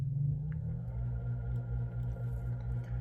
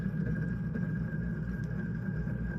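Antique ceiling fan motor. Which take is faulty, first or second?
second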